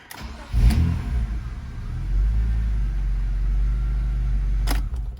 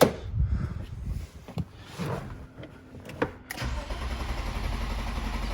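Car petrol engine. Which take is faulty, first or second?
second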